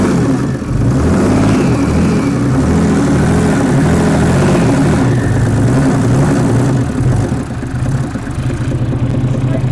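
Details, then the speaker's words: Mercedes 300D diesel (603 engine), sat three years with water in fuel, now on fresh diesel: steady clatter picking up cleanly with revs, no misses or knocks, some white smoke clearing; normal running. "it's going it's going it's almost there guess we just needed some nice diesel almost"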